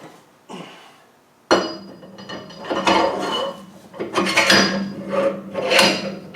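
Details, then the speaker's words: Land Rover 110 300 Tdi rear axle, stripped with the shafts removed and turned slowly by hand: irregular metallic clanks and ratcheting knocks. The crown wheel shows unusual wear and seems out of mesh; the cause is unconfirmed and the unit will be pulled for inspection. "Nothing's wrong with that. It's like that crown wheel's out of mesh."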